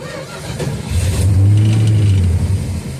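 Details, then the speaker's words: 1969 Dodge Dart left six months on old 10% ethanol gas: catches and revs about two seconds on the accelerator pump shot, then sags and dies; nothing passing through the jets, owner suspects a sludged carburetor and also a bad starter relay. "Yeah, once the squirt runs out, she dies, so there ain't nothing going through the jets."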